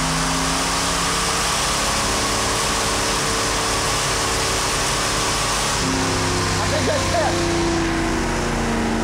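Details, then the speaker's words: Old, tired original two-barrel V8 from a 1977 Ford Granada, second dyno pull, making 99 hp. Its pitch flattens at high revs and won't climb, like a natural rev limiter, then drops back. The two-barrel carb is suspected as the cause, not confirmed. "It was a little. Kind of has that natural rev limiter. Yeah, whatever that was. I think it's a combination of two barrel and it doesn't like anything that we're doing."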